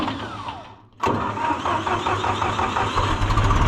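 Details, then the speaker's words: John Deere 2020 tractor just fitted with a new high-torque starter: a brief strong crank, then it fires instantly into an even, lumpy idle, overcoming the hydraulic pump drag the old starter couldn't. Normal cranking and quick start. "Wow, that's exactly what I wanted. That fired that thing up instantly."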